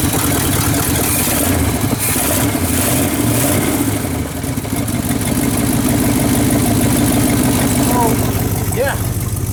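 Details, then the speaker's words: Cheap old Chevy V8 first start after installing a new Quadrajet 4-barrel carburetor, fuel newly primed: the engine catches and settles into a steady, slightly lumpy idle with a deep even beat, running cleanly though it may stall until fuel circulates. "this thing fired up like I said it took a little time to get that fuel up because I took the carburetor out and the new carburetor doesn't have any fuel in it"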